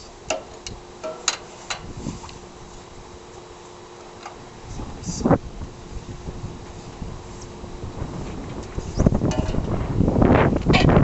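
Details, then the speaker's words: 2012 CraftLander NuCraft 6000 hoist hand winch turned clockwise to wind the cable: irregular ratchet clicks, about two to three per second, working properly. "it's working properly what you want to do is you want to get the cable the local wine basically turn the wheel clockwise you can hear that clicking going on here"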